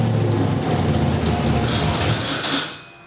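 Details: Ford V8 on a Sniper EFI system after first startup, static timing set, 60 psi oil pressure off idle, fuel pressure set, still tuning idle; deep lumpy burble, healthy and crisp with no knocking; normal running.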